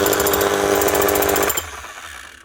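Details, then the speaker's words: 2006 Makita HM0860C 5 kg hammer-only chipping hammer, badly burnt-out shorted armature, also leaking oil; rapid hammer blows over a motor whine for about 1.5 seconds, then winds down, smoking; weak hammer action. "You just want to see if it has any hammer at all. And this is going to stink too, because that's actually really badly gone."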